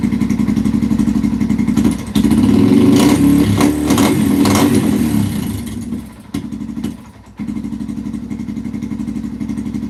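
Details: 2005-2009 Yamaha TTR-230 single-cylinder, carburetor suspected after an adjustment to one and a half, tank refitted: idles, revs briefly, then the beat slows and nearly dies before catching; idle won't hold, only slightly improved, seems starved of gas, runs great on choke.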